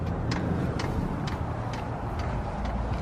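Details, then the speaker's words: Van diesel heater in Alaska at 11 degrees internal, primed from its remote after a fuel line replacement: sharp, evenly spaced clicks about twice a second over a low rumble; the fuel pump priming normally, with fuel seen going down. "And then you can hear the fuel pump going. It is priming? It is. So that clicking sound is the fuel pump."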